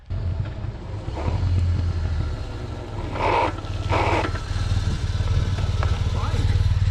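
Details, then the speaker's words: BMW HP2 1200 cc boxer riding on the road after long repair, fresh gas fitted: smooth even beat with no pops or misses, only wind and road noise; runs smoother than its former clanky sound. Finding: normal running. "it's running nice that thing is definitely running smoother than its running along really good"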